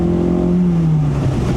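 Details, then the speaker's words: 1972 Toyota Celica 18RG with rebuilt twin Mikuni 40PHH carbs, accelerator pumps set mid-range: at full throttle, air-fuel ratio reads 14.2 and the note sags for about a second before pulling. This is a bog under full throttle; cause not confirmed. "I'm going to be watching my air-fuel ratio gauge down here, making sure that when I'm under full throttle, that I'm hitting about that 14. There it is. 14.2. It bogs for a second."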